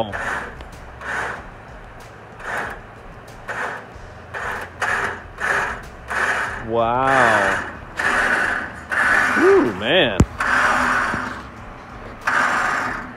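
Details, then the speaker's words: Warn winch pulling the crushed front of a wrecked Jeep Liberty to straighten the radiator support: a loud, uneven ratcheting gear grind surges under load, sounding dry. Instructions say it is permanently lubed; the owner thought noise reverberated through the bumper. Cause unconfirmed. "is it not sounding good it just sounds like it's dry when i first ran it i thought it was the most noisiest thing i ever heard"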